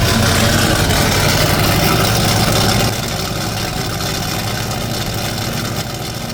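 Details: C30 truck engine using ignition parts borrowed from another truck, carb bowls filled by hand, first run: V8 loping at an even, steady idle, about three firing pulses a second, smooth with no knocks or misfires; runs normally.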